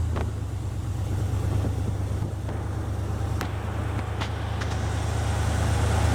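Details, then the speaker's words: 1975 Jeep CJ5 carbureted V8 just started after a 650 Holley carb rebuild and fixing a vacuum leak with a PCV line: deep, steady rumble with no knocks, misses or hissing leaks; runs well but idle is too high. "Fired up. Sounds good. Smells good. Idle's too high."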